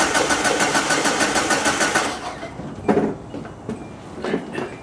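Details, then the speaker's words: 2004 Hyundai Sonata that died while driving, with starting fluid sprayed in; owner suspects fuel pump or timing belt: quick even cranking, about three turns a second for two seconds, stops without catching; crank no start. "I did hear it a little bit it sounds like it almost turned over"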